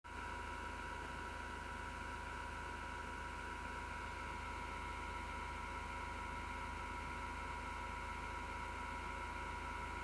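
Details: Six-year-old PC power supply fan, grinding since December 2015: constant faint buzzing drone with rough low hum, strong vibration felt through the chassis; PSU fan bearing grinding, cause not pinned down.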